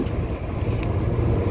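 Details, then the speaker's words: Kitchen bar AC unit on a no-cooling call, with water leaking from it: a heavy, steady low rumble with a shaky throb as the blower vibrates hard. Something is suspected stuck in the blower wheel; the unit needs maintenance. "Really bad. This is their bar unit. Holy crap. That's not good. You got something stuck in that blower wheel, man."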